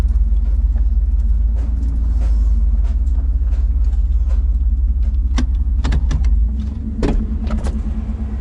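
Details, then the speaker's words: 1990 GMC truck with swapped Chevy 350 small-block V8, Thrush muffler and Cummins exhaust tip, near 250,000 miles, running after swap, near operating temperature: deep, steady V8 rumble at an even idle with no knocks or misses; normal idle. "makes me so happy to hear that sound I just love Chevy sounds dude"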